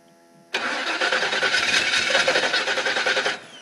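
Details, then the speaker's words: 1977 GMC fitted with a VTech engine, first start attempt with timing light ready, choke set, good oil pressure: starter cranks about three beats a second but never fires; fuel pump suspected misaligned, no fuel seen flowing. "great but all right fuel pump it's not working can't even see gas I don't know if you can see gas coming down okay we got to figure out this fuel pump bring it back later"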